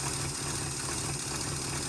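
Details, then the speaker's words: 1971 Chrysler eight-door airport car V8, started with no coolant after a cracked block was patched with JB Weld epoxy, to heat the head: steady even idle, low rumble, no misses or knocks; runs well, not leaking, smoking profusely. "Wow, that went much better than expected."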